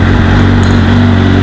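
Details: 2009 Suzuki GSX-R 750 inline four idling right after oil and filter change (2.2 L Repsol 10W-40 synthetic, K&N filter): steady even idle, smooth low hum, no ticks or knocks; no leaks so far.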